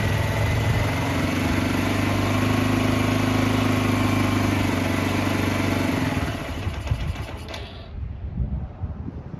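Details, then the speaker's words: Barn-find 2005 Suzuki GZ250 single with 950 miles, first start after sitting, on starting fluid: thumps along unevenly for about six seconds, then fades and stalls; owner suspects carburetor trouble, needing more choke, or stale fuel. "I think we got some carburetor troubles. That's alright. We heard it run. Need a little bit more choke. Maybe a lot more choke."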